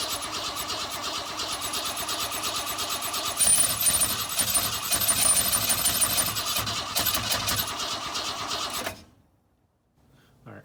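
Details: 1962 Ford Falcon, unrun for 25 years, with a non-factory carb on an adapter plate and fuel dumped into it: the starter churns about three beats a second for around nine seconds without catching.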